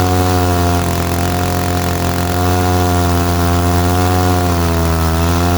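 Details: 1947 Chicago-made six-foot two-stroke chainsaw, Iowa barn find unrun 40+ years, after points, carburetor cleaning, fresh fuel and new plug; loud steady buzz with slight rise and fall, no misses; normal idle.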